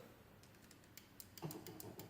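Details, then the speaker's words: Late-1950s Lagomarsino Totalia printing calculator, multiplication button pressed: its separate motor switch clicks lightly and unevenly but no motor hum follows. The other switch starts the motor fine; the owner suspects a dirty contact inside. "You can hear the switch clicking, but it doesn't make any difference."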